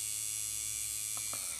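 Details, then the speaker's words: Fleischmann BR 78 model locomotive motor, previously seized, freed by flushing with isopropanol; motor pinion has come off the shaft: high, thin steady whirr with no catching or stalling; motor running normally. "Motor läuft wieder ne das heißt der hat da irgendwie festgesessen keine Ahnung auf jeden Fall hat sich das Ding gelöst und der Apparat funktioniert ne"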